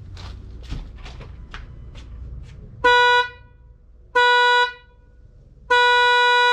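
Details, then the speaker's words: 2018 Ford F-150 2.7 EcoBoost horn giving three short blasts with only a thin high single note and no deeper tone; the low-tone horn has failed, before replacement with a new Ford part. "you have got to be kidding me did you hear that it sounds like i'm driving a goddamn prius"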